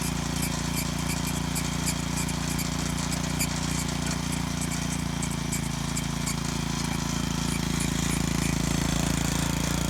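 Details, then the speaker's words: Moto-Mower tiller repowered with a Honda GC160 5 HP OHC engine, still a bit cool, tilling soil: steady single-cylinder drone with a light chirp about four times a second as the drive belt slips on hard spots; belt not yet tightened. "it slips a little bit when it hits uh hard things and stuff but it's not worth enough to actually pull the motor forward and tighten the belt up a little bit here"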